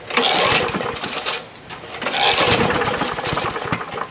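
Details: John Deere JS63C push mower, 6.75 hp Briggs & Stratton OHV, on a squirt of gas mixed with SeaFoam into the carburetor: catches briefly with harsh irregular pop and sputter, then dies; suspected slightly sheared flywheel key upsetting timing.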